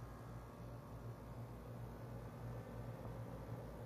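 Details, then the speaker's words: Home AC condenser unit after replacing the capacitor: steady low hum with even fan whoosh, no buzzing, clicking or rattle; compressor and condenser fan run smoothly, blowing hot air out and drain dripping, showing the compressor works. "And also it's blowing hot air out. This is also a good indication that the AC compressor is working."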